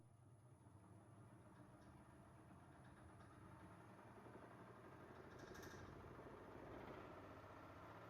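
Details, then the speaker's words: DIY metal steady rest on a wood lathe after it was stiffened with a welded perpendicular steel ring and internal braces: at 1,000 RPM it hums steadily with no vibration. Before the upgrade, vibration set in above 600 RPM. "As you can see, we've reached 1,000 RPM, and there is no vibration at all."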